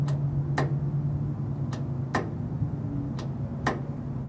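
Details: 1973 Dodge camper special with dual fuel tanks, power applied to the tank selector solenoid wire after tracing it: crisp single clicks about every half second to second over a low hum; solenoid switching as it should.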